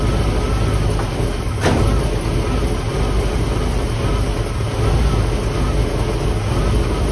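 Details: Steady low rumble with an uneven beat at idle from a 1958 Chevy Impala 348 V8 just revived after years in a garage; ignition timing was way advanced and has been pulled down, and the dwell is way off and not yet adjusted.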